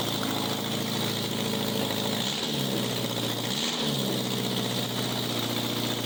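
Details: 1987 Honda Gold Wing GL1200 parts bike, electrical problems, almost out of gas, running after battery charged: loud raspy open-header idle with quick throttle blips, settling back evenly; normal idle, needs strong battery.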